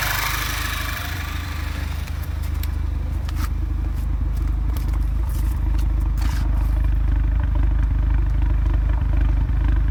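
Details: Audi A3 2.0 TFSI stage 2: uneven, lumpy idle with irregular stumbles about twice a second and a check engine light for misfires on all four cylinders; not cured by a new PCV valve, and the owner suspects the air box.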